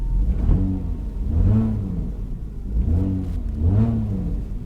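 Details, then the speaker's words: Salvage-auction vehicle: engine revs up and drops back cleanly several times, smooth with no knocks or misses; runs flawlessly, though an engine mount is loose. "it's running flawless like absolutely flawless guys"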